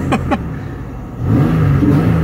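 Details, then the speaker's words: Pontiac Aztek AWD new project, cold engine, fuel possibly old: blipped with short, uneven rise and fall in pitch, sounds ragged and unhappy; cause unclear. "yeah let me let me crank this thing up so you can hear the fury of the Aztec I hope not oh yeah look at that that's nice the cold don't even matter you can can't hurt the Aztec doesn't sound happy about that"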